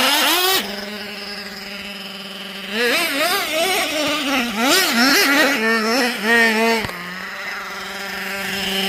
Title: Nitro Sounds Like High Idle And Odd.. Jato Sounds = when idle is too high.. #nitro #rc #jatos